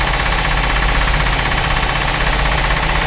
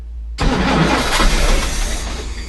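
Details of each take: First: Chris Craft Commander 410 port 454 marine V8, stored ten years, with a rebuilt carb and timing at 8° BTDC: fires and holds a steady, even beat for several seconds before cutting off; runs without needing a rebuild, with an exhaust manifold water leak. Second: Chris Craft Commander 410 454 marine engine, unused 10 years, with a rebuilt carburetor and fresh gas: starter spins steadily for about two seconds, never fires. Crank, no start; the previous owner's altered wiring caused starting issues.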